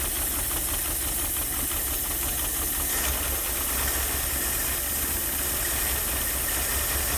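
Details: Ford Maverick not run in 26 years, first idle with no working fan or radiator: holds idle but uneven lumpy beat under steady hiss.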